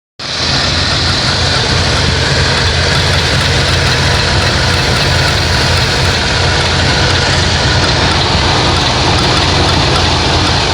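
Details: 1988 Plymouth Gran Fury petrol engine idling with a quick, faint clicking about four a second under a steady hiss; cause unknown.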